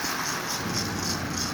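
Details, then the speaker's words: Lionel Sound O' Power mechanical tender, broken belt bypassed with a rubber band driven off the wheel: steady hissing chuff about three times a second at low speed; normal tender sound. "it does make noise but like I said when you get it up Steve's like this it just just becomes standard tinder slow it down"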